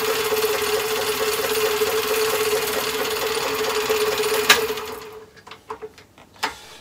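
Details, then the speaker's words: Myford ML7 lathe (grey, original paint), partly restored with hand-scraped bed, back gear and power feed tested: steady gear hum with light rattle, a bit noisier with feed engaged, for about five seconds then spin-down; working normally. "the backyard system shall also be tested and the function is okay and just wanted to prove it with the feed now so you hear it a little bit more noisy then"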